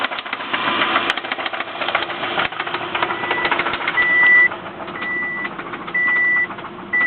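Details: 2007 Subaru Impreza, revved, with a quick metallic rattle and ticking plus a repeating chime. A knock present for a year gained a new rattle after a breakdown and no-start; origin unknown.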